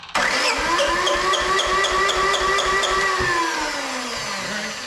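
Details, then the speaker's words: IHI IS7 GX mini excavator diesel, long-sitting, cranked on jump starter with fuel pump on: about four compression pulses a second for five seconds, never fires; getting fuel, owner suspects not enough and cracks an injector. "So, it's getting fuel. Let's crack this injector. Maybe it's not getting enough fuel."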